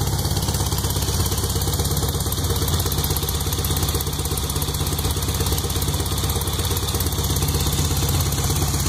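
Steady idle with an even clattery knock, about three per second, plus occasional pops; knock in the fresh rebuild, cause unknown.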